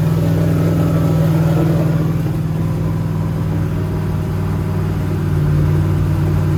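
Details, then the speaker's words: Turbo LS Mustang built for 1000+ hp, new Aeromotive fuel system, first fire-up; deep loud idle about 900 rpm with choppy even lope, no knocks or misses, air-fuel ratio right on; normal big-cam idle. "that cam sounds nasty that's like 900."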